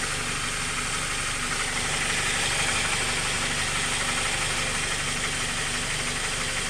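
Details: Honda K20 petrol engine idling with a steady knock about three per second, heard from the bottom of the engine; valve adjustment already done. Owner can't tell whether it is rod knock, piston slap or tensioner knock.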